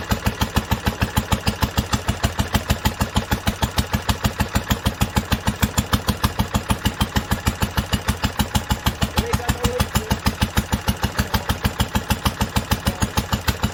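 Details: 1946 International Harvester LBB 3-5 hp water-cooled single-cylinder engine, first cold start after sitting covered a long time, started on the next pull after two choked turns; crisp, evenly spaced thumps about three per second, no misses, running healthily.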